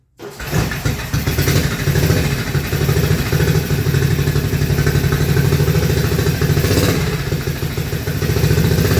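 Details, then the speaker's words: Frankenstein's Panther project motorcycle, carburetor on choke, newly fitted custom mufflers, running in an enclosed garage: fires within a second into a deep steady well-muffled burble, no misfires or rattles; sounds healthy. "Jeez, that sounds pretty darn good. And we're in in an enclosed building as well."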